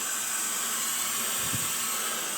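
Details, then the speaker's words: 1953 GE 80-ton long-frame locomotive, last run 1998, building air slowly after starting engine number one: steady high-pitched hiss of escaping air with a brief low thump; an air leak somewhere underneath, not yet found. "There's definitely an air leak somewhere. I hear it down there. I'll have to find that."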